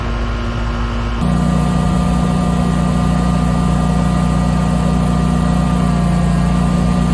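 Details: Generator powering an air conditioner fitted with a Micro-Air EasyStart 368: drone steps up as the compressor starts, then holds an even, steady hum without bogging or surging, running about 9.6 amps.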